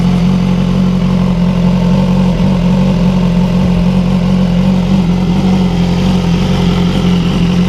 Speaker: the bike is now pretty loud it's not obnoxiously loud but it's loud so let's see if we can start her up